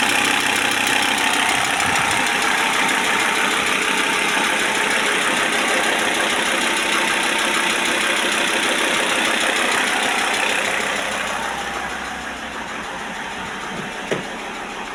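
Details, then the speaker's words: Audi A6 C4 2.5 turbodiesel, warm (about 50°): light, fairly regular tick about three times a second near the injection pump, comes and goes; owner unsure whether pump or injectors, ticking at idle. "вот где-то здесь вот непонятно или насосе вот цок у неё есть какой-то цок цок цок цок цок"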